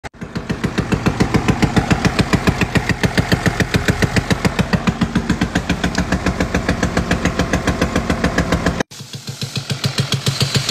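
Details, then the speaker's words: Mercedes-Benz GLS 450 OM656 engine idling: a loud, sharp, evenly spaced knock, about three to four a second, from broken rocker arms (rocker bearing issue). "这个奔驰找到问题了，摇臂坏掉了哈。"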